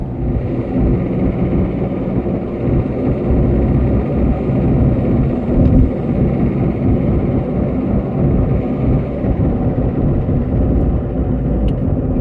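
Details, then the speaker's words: 2009 Ford Fiesta Mk7 1.4 TDI diesel, 5-speed, on the road after starter motor and earlier fuel injector replacement: smooth even low drone under road rumble with no knocks, misses or whine, engine running normally. "All sounding good. About blooming time. This car has been an absolute pain in the bum."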